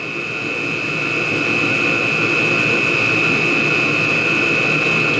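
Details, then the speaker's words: Chinese diesel heater running on used HV46 hydraulic oil instead of diesel, cold day: steady roaring burner hiss with a strong high whistle, loudness creeping up; burn surges and cycles up and down, cause unclear. "see she's climbing again she's going for it I have no idea why it Cycles up and down like this"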